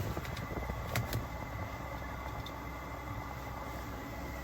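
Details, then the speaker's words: Webasto Airtop 2000 air heater newly fitted to a Citroen Ami, heard running: soft steady fan whoosh over a low even roar, no surging or rattles; sounds turbo-like inside the car. Heater running normally. "oh I can hear it now fire up now yeah I can hear it I can smell these FES yeah so that's coming out the exhaust the back no no and then in the car it sounds like a turbo"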